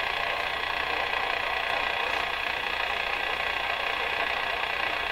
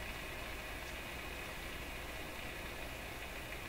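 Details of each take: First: Rogers 11RA651 shortwave radio during one-at-a-time replacement of the 6K7 and 6B6 tubes. Steady hiss with rough crackling static crashes, described as a "machine gun," worsening before being fixed. No station comes through. This is static crashing. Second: Rogers 11RA651 shortwave radio after a tube replacement. Only a low, even hiss with no crackle or static crashes, really quiet now. This is a quiet receiver background.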